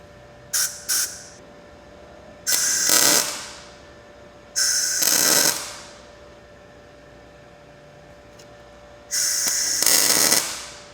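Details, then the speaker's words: Blue Demon 140MSI MIG welder, first tacks on thin steel in synergic mode with low wire speed: short harsh crackly spitting arc bursts, porous welds likely because shielding gas wasn't run through the line; improved after running gas. "it's making me wonder if I need to run gas through this line let's try that okay I think that's what it was"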